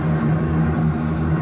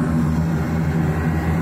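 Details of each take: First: AAON gas-fired rooftop HVAC unit earlier blowing cold with slight gas smell, possible ignition module issue suspected: burner lights and runs with a steady, even low roar over a constant hum. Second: AAON rooftop HVAC unit gas burner with two electric spark igniters: a steady low roar with a lumpy, fluttering pulse once lit. The flame sounds unsettled, as if it needs more gas or more air; the cause is unclear.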